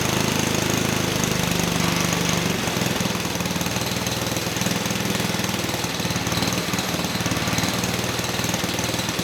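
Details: 1959 McDonough T-10 Tin Lizzie go-kart, 66 years old, disassembled 30 years, first run with choke open; small single holds a fast, steady popping beat without misses while idle is being adjusted down; running normally.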